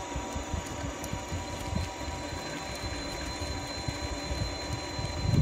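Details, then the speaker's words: Liberty Trike, motor at full throttle after a chain and sprocket adjustment: even motor hum with a faint steady whine and no rattle or clicking from the chain; the drive runs quiet and healthy. "Well, it sounds good and quiet as I pedal, but let's try it with the motor. Stop pedaling and floor it. It sounds better."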